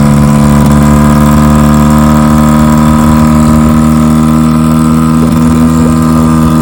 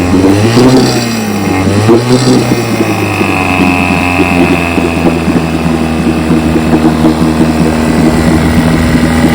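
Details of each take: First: 1957 Johnson 5.5 HP outboard in a test barrel: steady, slightly uneven idle with no rise in speed, then it dies; no cooling water coming out, suspected not pumping water. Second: 1957 Johnson 5.5 HP outboard, after conversion from a leaking dual-line pressurized tank to a single-line tank with a pulse-driven fuel pump: a few quick blips settle into a smooth, even two-stroke drone with no misses or knocks. Normal running.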